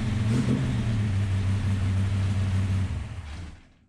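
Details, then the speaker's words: Ultima GTR V8, first start after sitting about 7 years, O2 sensor wires repaired. Runs rough and low, barely revving, then dies. Owner attributes the poor revving to it being super cold; oil pressure was present. "Obviously, it didn't rev really well because it's super cold"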